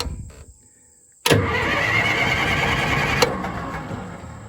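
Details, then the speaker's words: Old tracked loader diesel, relocated from another farm, started up: catches at once and settles into an even, steady idle with no misses or knocks; healthy start and idle. "So anyway, let me fire this thing up for you, and I know a lot of people like to hear it, so let's get her fired up here."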